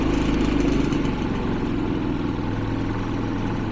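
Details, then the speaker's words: Generator running on Eco-off setting, unloaded before charging a Hyundai Ioniq 5 from its 120 V outlet: even, low hum that settles slightly and holds steady without misses or knocks; very quiet, normal running with no load. "you can turn that on and it even gets quieter it's amazing how quiet this is"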